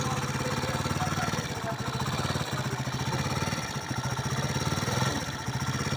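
Small single-cylinder bike idling with a busy, uneven clatter riding on the low beat; something's off, though no cause is evident.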